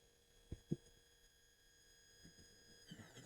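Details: SMCU-4 integrated drive CNC controller driving the X-axis stepper motor on a fast jog: quiet, steady high-pitched singing tones that shift as it returns to zero, then fall silent in SMCU silent mode; a healthy stepper.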